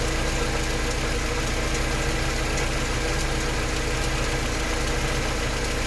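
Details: Mercedes 190E at idle: a fast, faint tick rides over the engine note, roughly three or four per second. Source not identified.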